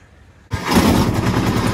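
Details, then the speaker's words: Kubota T1600 two-cylinder diesel mower, 573 hours, before deck rebuild, deck reported squealing with slop: deck engaged, harsh rapid clattering grind pulses over the diesel; shot spindle bearings, owner also suspects the gearbox. "that's pretty bad sounding so i'm starting to think it's a gear box you can hear obviously the bearings in there is a shot"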